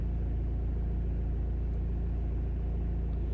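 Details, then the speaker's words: Citroën Nemo with SensoDrive semi-automatic gearbox, after running an initialization procedure on the scan tool: starts surprisingly well and idles with a steady, even low rumble, regular beat, no knocks or misses; normal idle. "Okay, and we got the thing running at least. It started surprisingly well, and that was after something initialization."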